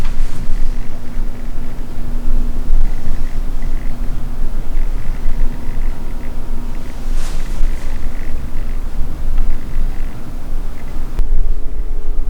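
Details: Sigma 16mm f/1.4 lens on a Sony camera with microphone sitting on the camera: faint steady whirring buzz under room hiss from the lens autofocus motor; autofocus motor noise picked up by the on-camera mic.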